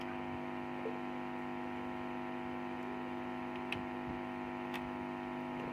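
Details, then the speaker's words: SKG microphone amplifier after replacing blown amplifier-stage fuses: finger touched to the input before playing music gives a steady mains hum with overtones through the speaker, showing the amplifier stage now passes signal normally. "ใช้วิชาการแตะก่อนนะครับเห็นนิ้วแตกก่อนนะครับยังไม่ป้อนเสียงเพลงเข้าไปนะครับเดี๋ยวใช้นิ้วแตะดูก่อน"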